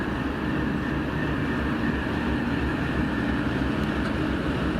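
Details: TEP70-0356 diesel passenger locomotive after a medium overhaul at Voronezh TRZ in November 2022, hauling a passenger train: a deep steady diesel rumble with a constant turbo whistle above it. Normal running.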